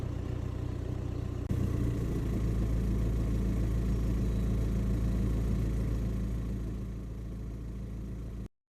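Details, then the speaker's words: VW Golf Mk5 1.9 TDI (103 bhp) idling, 5000 miles after a gearbox oil change; steady low rumble with clutch pedal released that changes tone when depressed, from the gearbox area; owner suspected clutch thrust bearing but garage says not, cause unknown. "when I depress the clutch it changes the tone but the clutch off we pick up a bit of rumbling uh ordinarily I would have thought it was probably the thrust bearing on the clutch"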